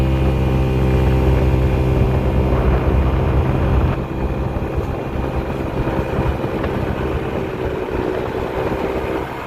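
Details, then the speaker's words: GY6 50cc scooter after carburetor swap and idle adjustment, after a test ride: steady even putter at idle with no misses, hunting or stalling, now taking throttle blips; normal healthy idle. "yeah a lot better there you go at idle sounds extremely a little healthy sounds really healthy and now i can actually blip the throttle and it takes it without stalling"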